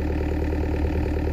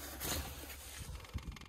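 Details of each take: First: DX63 6.5-ton excavator that stopped suddenly three weeks earlier on a hillside, restarted after resetting a shaft turned 180 degrees: low, even diesel chug with a steady beat and no misses or knocks. Normal idle. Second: Six-and-a-half-ton digger that stopped suddenly three weeks earlier: starter cranks at a steady, even beat of about two and a half per second but never fires; cranking kept short to save battery.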